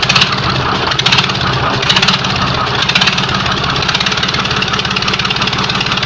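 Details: YaMZ-236 V6 diesel on first start after a rebuild, idling with a steady clatter and a slight surge about once a second as it settles. Some smoke was noticed afterward and the engine had warmed slightly.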